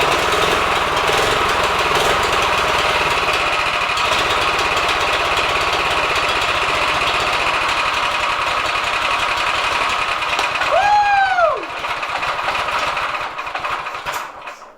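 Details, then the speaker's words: Drift trike small engine with carb idle screw at 1.5 turns out and idle raised, choke off: a rapid, uneven rattling beat of about four firings a second that stumbles and fades; rough, unstable idle; owner thinks it needs more fuel. "A little bit more idle. Think we need a little bit more fuel."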